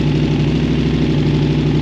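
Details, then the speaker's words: KTM 950 SMR twin at warm idle after carb sync and jetting (175 front and 180 rear mains, 45 pilot, needle at fourth clip, fuel screw 2.75): steady, even low thump with no misses or hunting, now smooth and balanced. "and now it's pretty perfect very even it sounds great now"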